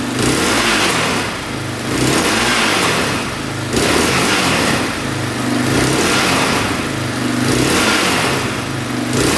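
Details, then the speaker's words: 2004 Yamaha Raptor 660 single-cylinder quad after a fix (now shut off manually): revs up and drops back about every two seconds, climbing cleanly with no stumble; sounds a lot better, thought to be fixed. "Well, I think it's fixed. That sounds a lot better."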